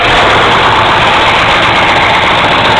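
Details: 1970 Camaro 350 built near-LT1, 10.25:1 forged pistons, LT1 aluminum intake and carburetor, freshly built, running on a stand with exhaust: starts and settles into loud steady even idle, no knocks or ticks; normal start and idle.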